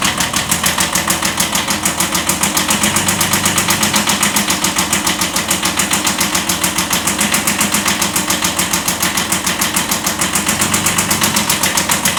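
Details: 1979 Kubota B7100 tractor with replacement Kubota D950 diesel swapped in for the old D750, idling: steady fairly fast knock holding even at idle; slight rod knock.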